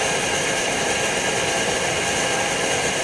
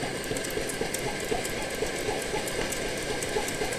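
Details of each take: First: Older Primus Omnifuel stove on white gas with factory flame plate, after preheating until hot and valve opened fully: steady even roar with lots of hiss, no pulsing or sputter, burning cleanly at full output. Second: Older Primus OmniFuel stove on white gas, primed with white gas, bottle pumped up: steady roar with a very rapid chug about four times a second, caused by fuel pulsing as it vaporizes in the burner.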